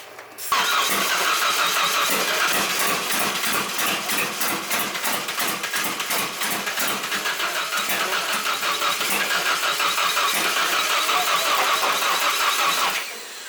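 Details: Drift truck engine with LS coil packs, distributor reinstalled with the oil pump drive shaft turned 180 degrees; starter cranks steadily for about thirteen seconds with a fast even whirr but never fires. Ignition timing still suspect.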